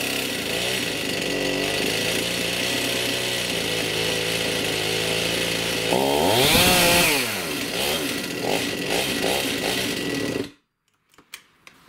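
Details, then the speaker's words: STIHL MS291 chainsaw, hard starting and bogging: rough, wavering idle that won't hold steady when throttled down, a quick rev, then dies; scored piston, cylinder and rings (piston top broken) losing compression, found with muffler off. "some of the symptoms when you have a scored piston cylinder and Rings is that it won't idle properly it's harder to start it's got less power"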